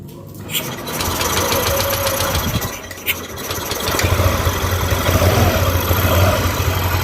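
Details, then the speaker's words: Yamaha NMAX new (around 2020) after replacing the camshaft bearing with a racing bearing, replacing the lower tensioner and adding an oil jet hole; it previously made a "sek sek" noise. It catches within a second and settles into a smooth even idle with no top-end rattle. "ya jadi suaranya Udah halus lagi berarti penyakitnya emang dari bearing makan as"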